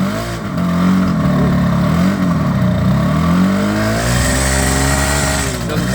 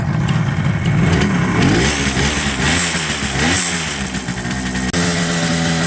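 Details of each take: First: 1978 Kawasaki KH400 two-stroke triple after long storage, new spark plug fitted: uneven, lumpy note that blips and sags with throttle, running on two cylinders; suspected center carb not getting fuel, not confirmed. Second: 1978 Kawasaki KH400 two-stroke triple, long in storage, after carb work to cure running on two cylinders: crisp, even crackle with steady revs on all three cylinders, no misfire; now running cleanly on three.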